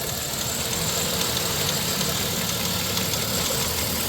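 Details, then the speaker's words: 1997 Dodge Grand Caravan SE, abandoned 4+ years, unknown mileage, idling after a test drive on a replacement transmission: faint light ticking about three per second; owner suspects the tensioner or valve train, unsure, and thinks it sounds minor. "almost sounds like it might be like that tensioner or something I I don't know if it's valve train I can't tell but it don't sound that bad"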